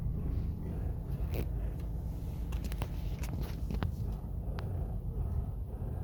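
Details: Honda Accord 2013, front right suspension: irregular dry creaks and scrapes when turning the steering wheel, still present after replacing the lower arm, both lower ball joints, the shock absorber mounting and both tie rods; cause unknown.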